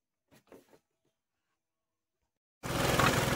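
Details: Hero Maestro Edge BS4 scooter after a jerking-problem fix that refitted the petrol pipe, air pipe, pollution pipe and carburetor extra wire. After a quiet pause it fires straight up and holds a steady, even idle: normal start and idle.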